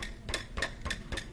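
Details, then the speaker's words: VW A3 2.0L with no power and exhaust restriction droning through the airbox: four sharp taps on the removed stock catalytic converter, each followed by a loose inner rattle; substrate broken loose, restricting exhaust flow. "you can hear the exhaust the catalytic converter rattle actually"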